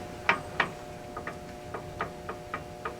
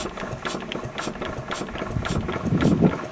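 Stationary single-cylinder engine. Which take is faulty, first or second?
first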